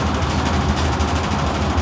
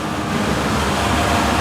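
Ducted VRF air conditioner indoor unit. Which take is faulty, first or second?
first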